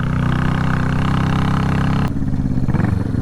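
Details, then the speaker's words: Salvage motorcycle twin being revived, previously firing on one cylinder, right cylinder briefly came in, after plug change: runs lumpy and uneven with a rough low beat, dropping to a ragged stumbling idle; still misfiring on one cylinder, worse. "I was just running this thing about falling asleep cuz it's only falling on fireing a one cylinder and all of a sudden it's just like B right cylinder enters the chat and it had all kinds of power"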